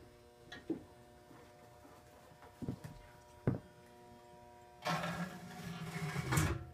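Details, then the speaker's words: GE 400 W high pressure sodium lamp starting up and warming; faint steady hum under a few clicks, then a louder buzzing rush as it warms: the ballast hum is loud. "hear the bast quite loud there you go warming up"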